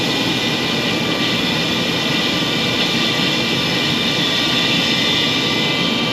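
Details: Furnace draft inducer motor running after the primary circuit board was replaced for a no-heat fault: a steady loud whooshing roar with a harsh, rough edge. Technician suspects the inducer motor is going bad, not confirmed. Noisy inducer motor.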